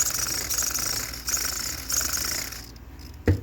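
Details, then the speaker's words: Steering servo on an ECTO RC truck being readied for the trail (unknown whether it is brushless or how it is rated): a thin, high electric buzz with a light rattle while holding. A noisy servo, cause not known. "it's a noisy Servo though I know you hear that but you like to make noise"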